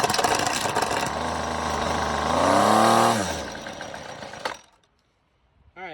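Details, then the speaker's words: FeatherLight Plus FL26 two-stroke string trimmer with newly replaced carburetor, primed, on full choke: catches after a few pulls, revs up briefly with a rising buzz and dies within a second; carburetor judged good, idle screw to be adjusted. "right so being that it did run for a second you know the carburetor is good"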